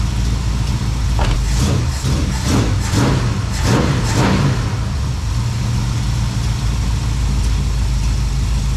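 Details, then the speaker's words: 1972 Plymouth Valiant 318 V8 after a Holley 600 four-barrel rebuild, no fan clutch: loud, lumpy idle with some throttle blips; doesn't run horribly but far too rich, way too much fuel at idle, so the rebuild went wrong somewhere. "doesn't run horrible but golly it's richer than donald trump"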